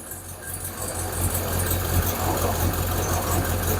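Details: Hemi Plymouth Duster V8 after fitting a new alternator, now charging 14.8–14.9 V with a slightly drained battery: steady, even idle with smooth low rumble, no knocks, misses or whine; engine running healthy.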